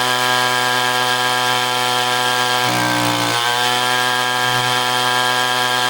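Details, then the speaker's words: Echo string trimmer two-stroke powerhead after replacing an incorrect carburetor gasket, nothing else changed: crisp steady high buzz holding speed, one brief dip and quick recovery; runs normally. "We're going to fire this thing up and see if it runs properly."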